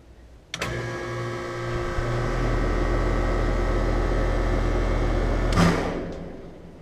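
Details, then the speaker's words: Outdoor condensing unit with a Bristol reciprocating compressor gives a steady hum with fan whir, then a single loud thump from the fan motor at shutdown. It occurs only when the compressor and fan run together; adding a switch didn't help, and the cause is not yet found. "but the strange noise is that when the unit shuts down there's a loud wamp that comes from the fan motor"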